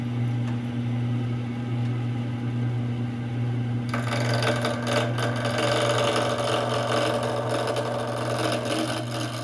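An even low motor hum throughout, then the gouge's rough scraping bite joins in; the lathe turns smoothly and normally.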